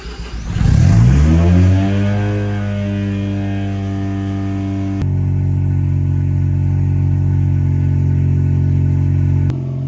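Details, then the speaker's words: Mazda FC RX-7 rotary, after upgrade to a 100 A FD S6 alternator with dual-belt pulley and new e-fan wiring, first start in weeks: catches, revs briefly, then settles into a smooth, steady, buzzy idle, charging well; normal start and idle. "mean, I'm just idling here. It's still charging good. Everything's showing up good."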